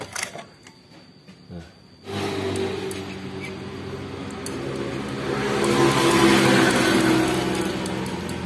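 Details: Honda Supra Grand motorcycle engine starts and idles with a light, busy metallic rattle from a slack cam chain (possibly a worn chain roller); fixed by replacing the cam chain.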